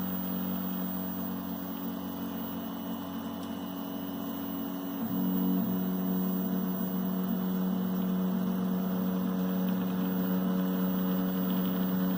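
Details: MPCNC machine's stepper motors hum steadily, dropping to a deeper, louder drone when X and Y axes move together diagonally; stepper motor humming.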